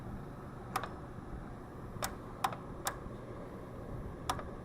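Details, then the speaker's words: Ford 961 Powermaster tractor, 6-volt system, in neutral with extra wire from battery positive to starter, wires not heating; single sharp starter clicks about a second apart with no cranking; battery or starter suspected. "see just not quite getting it at all at this point time we either have that battery that doesn't test bad or that starter"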